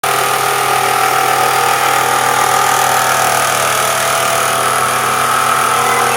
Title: Barulho no motor, sera rolamento de alternado